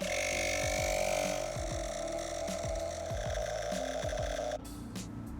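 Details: Etenwolf S1 portable tire inflator filling a tire from 27 to 36 PSI: a steady buzzing pump with a constant high tone and even rhythm until it cuts off near the end; running normally.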